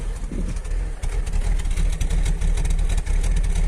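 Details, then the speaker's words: 2000 Jaguar S-Type V6 at idle, unstable for a few days: deep idle stumbling unevenly several times a second, also audible at the exhaust; owner suspects aged intake manifold gaskets, not yet confirmed. "Alors je sais pas si vous l'entendez bien, mais ça ratatouille un peu. On entend aussi à l'échappement d'ailleurs."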